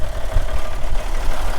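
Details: Caterpillar B-model diesel in a Peterbilt 378, about 433,000–435,000 total miles, sits most of the time, oil-pressure override button, minor front structure leak: deep, steady idle rumble with an even low chug and no knocks. Normal idle.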